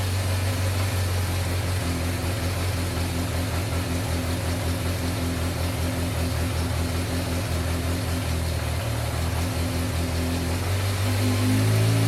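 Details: 1986 Yamaha FZ600 four-cylinder, first running after 15–20 years sitting, fresh oil, newly fuelled carbs: steady low hum at even idle, picking up slightly near the end; running properly again.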